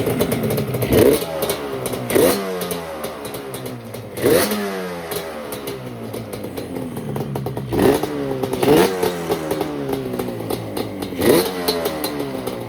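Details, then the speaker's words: 1989 Yamaha Banshee two-stroke twin after unplugging the TORS throttle override and its box; running on fuel left in the carburetors, tank disconnected: crisp snaps through repeated quick blips, pitch rising and falling cleanly, no knock. Normal revving. "Then I ended up unplugging the Tors, and if you do unplug the Tors, you have to unplug this little box right here. If not, you won't have spark. And it fired right up."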